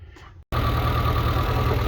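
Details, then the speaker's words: Suzuki Samurai idling after replacing a throttle cable that had stuck wide open, idle set by ear without a tachometer: low steady four-cylinder idle, smooth with no hunting or surging, not loud, normal. "There she is, my friends. That doesn't sound terribly loud."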